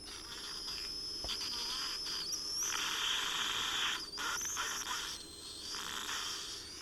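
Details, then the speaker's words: 1963 Sears Silvertone AM transistor radio during restoration, with open capacitors found and replaced: high, wavering squeals sliding in pitch over hiss, caused by oscillation from a bad AVC capacitor. "Okay, so all this squealing is a bad AVC capacitor. It's very common."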